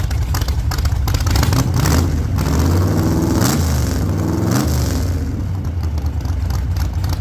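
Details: 1948 Chevy Fleetline small-block Chevy V8, 4-speed, after a fix for push rods breaking on the first burnouts: deep, hard-pulling V8 bark rising and falling under burnout load, no knocks or clatter, sounds healthy.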